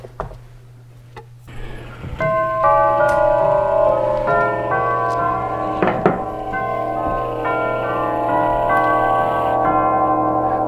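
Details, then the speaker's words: Herschede tubular chime clock being set up in a customer's home after repair, playing the Whittington chime; clear, sustained bell tones struck one after another in an even tune; normal chime. "there you go folks that's the [Music] Whittington"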